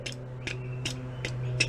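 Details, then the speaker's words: 1965 VW Beetle with a newly fitted Wolfsburg West electronic flasher relay: crisp even ticks about 2.5 per second over a low steady hum. Flasher cycling properly. "If you feel it, it feels like a grandfather clock."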